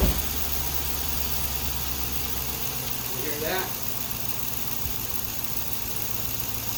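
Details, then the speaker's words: 2002 Yukon after alternator replacement, dealer had claimed rod knock: smooth even low idle, no squeal or whine; noise gone, engine healthy. "much better sounds much better"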